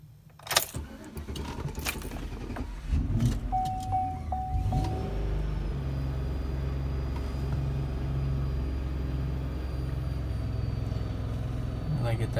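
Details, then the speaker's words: 2008 Chevy Tahoe hard start, ECT sensor code but replacing sensor didn't fix it, battery disconnect temporarily helps: starter cranks a couple seconds under warning chimes before catching and settling to idle; hard start, cause not found. "this is a problem I've been having so I'm gonna press the gas and start it"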